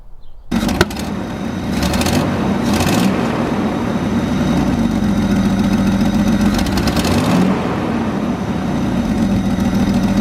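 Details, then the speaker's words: Jeep 4.0 inline-six idling with a fast, faint ticking puff under the exhaust note: cracked exhaust header leaking, a common 4.0 problem. "one of the annoying problems with the 4.0 is the header crack which sounds like this"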